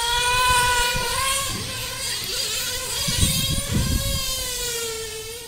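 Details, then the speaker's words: Nitro RC car after about 3/4 tank: after returning throttle to neutral the engine suddenly takes off, holding a high steady scream with no drop to idle; throttle runaway until it hit a tree, flipped and died. "mind this was an interesting runaway it happened um I I'd put about maybe 3/4 of a tank through it and here you can after the second time I go back to neutral you can hear it suddenly just take off first thing that goes through my mind is oh [ __ ] it's a run away"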